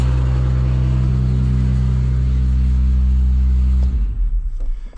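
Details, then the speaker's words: Pickup-mounted snow spreader auger tested during snowstorm prep, spinner not fitted: steady even low drone for about four seconds, then winds down and stops; auger turning normally. "I hear the auger. So that's working. Auger's turning."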